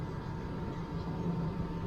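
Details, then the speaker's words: 1993 LSE air suspension raising, front at 77 to 78: low steady drone with a thin constant whine throughout; owner says the pump is quite noisy. "78 but like i say that pump it's quite noisy"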